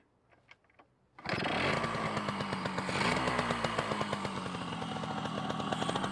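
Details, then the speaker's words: Yamaha RXS 115 two-stroke project bike just restarted, being warmed up, air filter and airbox missing: the engine settles into a slow, uneven popping idle that barely keeps running. Idle speed set too low and needs raising. "Tak cukup idol. Kena tinggikan sikitlah idol tu."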